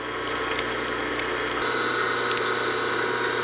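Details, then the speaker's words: Old three-phase motor from a LeBlond lathe with new bearings, steady smooth hum while grease is pumped into the bearings as it runs; after 10–15 minutes sounds and feels good; normal motor run. "I let this thing run for 10 or 15 minutes everything sounds good feels good"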